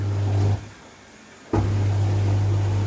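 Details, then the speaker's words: Dishwasher switched on with the wash light lit: steady low motor hum that briefly drops out and resumes, but it never starts washing or takes in water. A faulty valve is suspected. "Şimdi böyle bir ses çıkıyor ama yıkamaya geçmiyor. Suyu da alamıyor. Yani makineden gelen ses bu normalde ama yıkamaya bir türlü geçmiyor."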